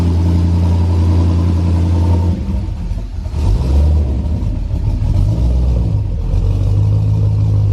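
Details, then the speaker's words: First start of a built-motor, 1000+ hp Chevrolet Colorado truck: loud rough engine revving up and down with a raspy, puffing exhaust note from a bad exhaust leak. "here we got a bad exhaust leak"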